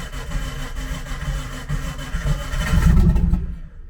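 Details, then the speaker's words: Nissan S13 on jack stands running E85, first start after sitting since last moved: uneven, labored cranking around four turns a second swelling as it tries to fire before catching; hard cold start on ethanol. "oh that e85 cold start yo 85 is a [ __ ] to start there we go started ready"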